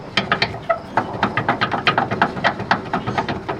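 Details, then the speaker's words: Lexus GX470 lifted, old eBay upper control arms removed, worked by hand: quick sharp rubbery squeaks about four a second; bushings worn and squeaky, ball joint shot, replaced with new aftermarket upper control arms. "And then these things just make a lot of noise. Like, they are super squeaky."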